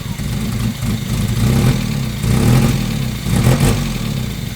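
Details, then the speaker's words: 1992 Mazda Miata NA 1.6 L, long-sitting project: revs rise and fall with an uneven, lumpy note that never smooths out; still running rough after fuel pressure checks, owner suspects a wideband sensor is needed, cause unconfirmed. "We're still running rough, so my first thought here was to check our fuel pressure."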